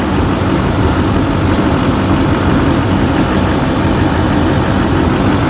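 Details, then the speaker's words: 2008 GMC Sierra 3500HD, 6.6L Duramax with Allison auto, 127,223 miles, parked since about 2021–22, check engine light on, idling with the oil cap off: steady deep diesel clatter with no stumbles, knocks or hunting; almost no blow-by; normal diesel idle. "There's like no blow-by coming through there."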